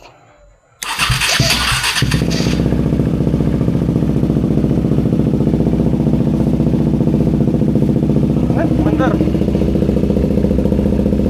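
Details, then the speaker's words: KTM Duke 390 V2 single, sat unused over a month, stuck fuel pump revived by tapping: brief crank, then fires and holds a steady even thumping idle; normal start and idle. "Okay na yan. Naandar na. So yung problema lang is yung kanyang fuel pump."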